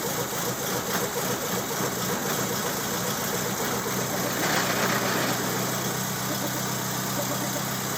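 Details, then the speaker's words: 1929 Ford Model A roadster pickup with a 1974 Pinto four-cylinder, about 39K miles, first run after 10 to 12 years: catches and settles into an even steady idle with a light pulse, no knocks or misses; runs fine. "There it goes. Yeah, that works. Right on."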